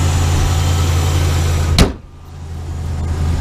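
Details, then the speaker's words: 2015 Ram 3500 5.7 Hemi idling after repairing a rodent-chewed injector harness connector behind the cylinder 5 misfire; deep, even V8 idle with a steady low beat, no stumble or skip until shutdown. Runs smoothly, no misfire. "all right so she's really good now no misfire"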